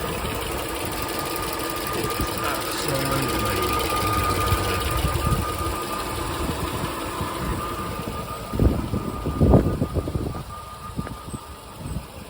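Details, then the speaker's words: Supercharged Range Rover, 161,000 miles, fresh oil change: smooth steady idle with even light supercharger whine and no supercharger knocking; engine healthy. "So that's perfect. But listen to that. No knocking on the supercharger."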